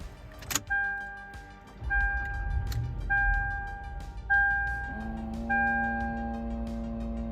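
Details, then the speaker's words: Lexus GX470 at key-on in the cabin: a thin electric whine in short pulses, then a steady motor hum until it stops. A servo is named as one of the car's problems. "yeah, you can hear my little servo, which is one of the problems, and some other little things wrong with this car"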